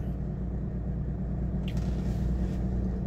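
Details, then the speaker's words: Mercedes 300SD W126 diesel after replacing the noisy auxiliary electric fan with an aftermarket unit: steady low idle about 800 rpm in park with A/C off, new fan humming to bring temp down (about 85); healthy idle. "it's a little higher it looks like it's probably running around 800 rpm but it's pretty solid the electric fan kicked in and it's doing its job trying to bring the temp back down"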